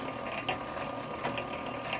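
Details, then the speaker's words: 1915 Century Model RS 1/4hp motor, 103 years old, driving a 1916 power hacksaw: quiet even hum with faint steady whine and light ticking from the mechanism as bushings jump when the governor kicks in; running smoothly and healthy. "Real quiet motor. 103 years old. Smooth as can be."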